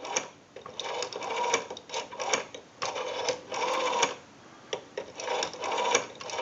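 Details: 554 rotary dial wall telephone after repair and conversion, dialing a time-and-temperature number; crisp bursts of fast, even clicking with short gaps between digits, the dial pulsing cleanly.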